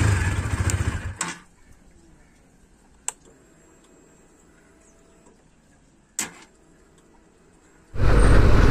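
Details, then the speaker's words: Bajaj NS200 motorcycle with a starting problem, also failed to start in the morning: brief starter whirr runs about a second and cuts out with no cranking, repeatedly; starter cuts out after about one second, being taken to the service center. "வந்து பார்த்தீங்கன்னா self வந்து ஒரு second தான் எடுக்குது of ஆயிடுது எடுக்குது of ஆயிடுது இதான் ப்ராப்ளம்"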